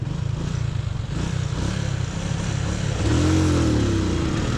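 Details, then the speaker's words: Honda Super Cub NBC110 on a shakedown ride, pulling away in second gear: deep, slow, labouring thump swells, revs never climb, nearly stalls; engine lugging and bogging in too high a gear. "oh she's bogged down oh that might not have been a good idea oh i almost stalled it it bogged out"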